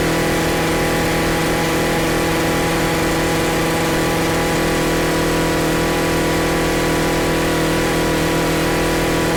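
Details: Stihl FS40C trimmer after its carburetor adjusting screw was reset to one turn out: steady, even two-stroke buzz at constant speed, with no surging, misses or stumbling, holding revs smoothly.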